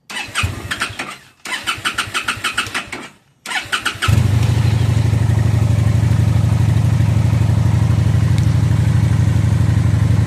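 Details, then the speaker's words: 2017 Phantom motorcycle that sat in a barn for years, after the old gas was drained, the battery charged and fresh fuel cycled through the pump: starter cranks in two short tries, then catches and settles into a steady, even idle with no misses. "So, fresh gas cycled through the fuel pump. Had to start it twice, but it did turn on."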